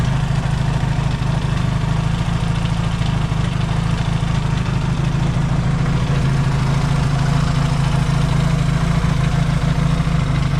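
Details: Yamaha XS650 twin, rebuilt engine just reinstalled and first started, warm with points not yet properly adjusted: steady, even low thump at a constant rate, no knocks or misfires, no oil smoke seen; healthy warm idle.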